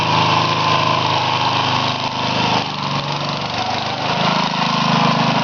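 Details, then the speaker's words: Little tractor back running after a burnt-out transmission and slipping rear sprocket, smaller pulley fitted: small single-cylinder holds an even, generator-like drone at steady speed, no knocking or misses; normal running. "hear that menacing noise outside sounds like a generator not that menacing but anyway that's an old machine of mine that I made a enough videos of but it's been out of commission for a while"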